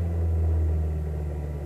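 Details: Kia Ceed JD engine with an unexplained abnormal noise: a steady, low droning hum with an added tone over the idle, holding even throughout; source not identified.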